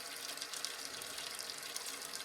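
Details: Toilet tank refill with newly installed Fluidmaster fill valve (old one leaked and was noisy) while setting the water level about an inch below the spill tube: steady hiss with no squeal, chatter or hammering; normal refill.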